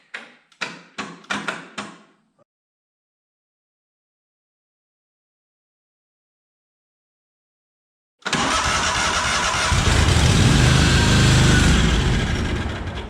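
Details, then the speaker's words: Cub Cadet 1864 lawn tractor (possibly 1994), 671 hours. Four short cranking bursts fail to catch, then an uneven roar; it won't run at full throttle, only throttled down on full choke. A clogged carburetor is suspected. "When full throttle, it won't run. So I got back the throttle down, full choke. Full choke, full choke. So that's a dead ringer for a fuel issue. Because I suspect the carb's probably clogged."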